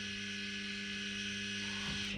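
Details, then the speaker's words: Homemade turbo jet boat, first power-up of new wiring: ball valve actuator runs with a steady small-motor whir for about two seconds, then winds down as the valve shuts; normal actuator operation. "but this one's for the ball valve over there. There we go. I don't know if you can hear it, but it's doing something."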